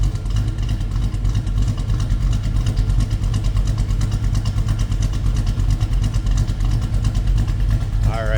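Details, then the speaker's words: 1938 Chevrolet Master Deluxe Coupe street rod V8: steady idle with slight uneven lope, about three pulses a second, lumpy but healthy, sounds like a bit of a cam; normal lopey idle. "And hey, listen to this. Sounds like we got a little bit of a cam."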